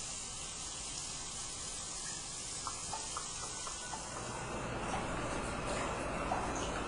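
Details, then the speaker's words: Hydro tub (whirlpool) during a home inspection, running a few minutes with all jets working: an even, steady rush of water and motor with no knocking or surging, building slightly halfway through; no leaks found. "the uh Hydro tub works all the Jets are working it's been running for a few minutes and there's no apparent leaks at the time of inspection"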